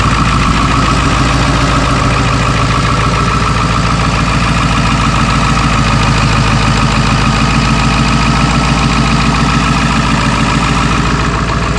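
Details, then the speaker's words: Ford 7.3L diesel truck restarted after 17 gallons of gasoline were put in and driven 30 miles, tank drained and refilled with diesel: even diesel clatter at steady idle with no misses, stumbles or surging; normal idle. "everything seems to be okay at the moment but I'm a little hesitant just want to hold my breath maybe you guys can hold yours for us just idling right now"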